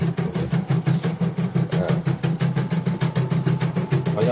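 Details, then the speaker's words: Portable embroidery machine from Sekayu, South Sumatra, after mainboard, LCD and touchscreen rework, sped-up one-colour test. Tension may have been reversed or set too tight. Even needle thump about three strokes a second, no grinding or catching: runs smoothly. "Oke, semua normal. Dari bunyi-bunyinya normal semua. Kita jalankan juga normal ya."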